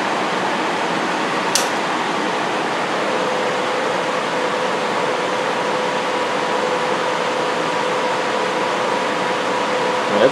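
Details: Experimental homemade 15 kW electric furnace blower heater from salvaged parts, with no safety features connected; the elements go on only after the blower motor. Steady even airy rush with a faint hum, no rubbing or rattles. Fan runs smoothly, putting out lots of heat.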